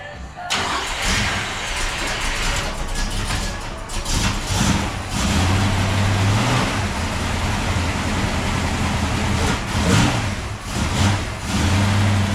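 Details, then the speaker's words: 1971 Mustang with a 347 stroker and 5-speed manual swap: a deep, boomy exhaust drone that swells with revs. It comes from stainless restrictive flap-plate mufflers. "these things are just horrible little flap plates in there like what a restrictor"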